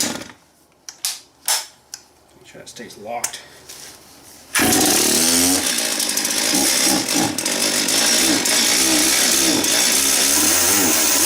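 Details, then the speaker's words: Chainsaw test run after servicing and tightening the bar and chain: a few handling clicks, then it screams up to a very high, steady buzz that holds evenly; said to spin high for emissions; normal high-revving run. "this is a really high uh spinning saw apparently it's something to do with the emissions my buddy was telling me there he works at still at the dealership here he says it it spins up really high to keep the emissions down"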